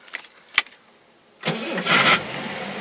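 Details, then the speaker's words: Previously non-running Jaguar XJ-SC 5-speed after injector cleaning: keys rattle, a short crank, then it fires at once and settles into an even, steady idle with no misses; it starts nicely, revs okay, and oil pressure comes up. "starts nicely revs okay oil pressures coming up"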